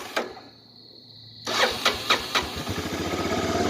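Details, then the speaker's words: 1985 Honda Big Red 250ES, sat a long time, with weak battery and warm starter: short crank, pause, then sharp firing pops before it catches into a steady thumping idle, hard start, smoking, needs choke. "this thing takes forever to start when it sits oh i think i heard it oh it's getting there"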